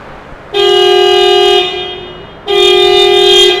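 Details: Nissan Micra horn after replacing the faulty horn fuse: two firm, clear one-second blasts with a strong steady tone; horn now working normally.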